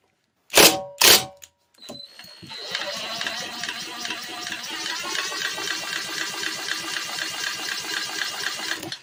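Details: Vintage 1950s-60s one-horsepower Briggs & Stratton with oil-bath air cleaner, no muffler, sitting over 10 years, spark present, spun by drill: drill bursts then fast, uneven chuffing crank with no pop; won't start, cause not confirmed.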